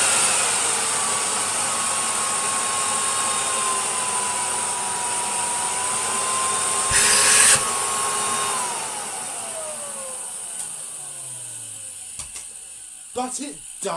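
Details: Miele Complete C2 Cat&Dog vacuum shell used as a testbed, running a 2000 W motor from a white 700 series: smooth, steady high whine with no grinding or rattle, then pitch falls evenly at switch-off; healthy motor.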